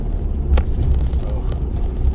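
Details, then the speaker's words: 65-year-old American Standard oil furnace with new Carlin EZ-1 burner; deep steady roar, the fuel pump whistle heard at first start has gone; owner hopes it was a hard spot from the pump sitting about 5 years. "Ooh, did you hear that pump whistle when it first started? I was like, oh man, I'm gonna have to put a new pump on it. But it shut up after a little bit."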